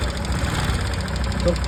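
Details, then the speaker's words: 125cc motorcycle single-cylinder engine after loose tappets (excess valve clearance) were adjusted: it idles evenly with a soft, steady beat and the loud tapping from the head is gone; healthy. "Guys देख सकते हैं इसकी आवाज पूरी खत्म हो चुकी है।"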